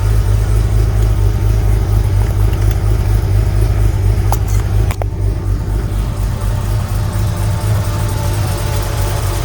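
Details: Sunseeker XPS 25 powerboat, BMW B220 engine, on a water supply, after priming the fuel filter water separator pump: low, steady rumble with splashing and clatter in the background, holding an even idle without stumbling. Normal running.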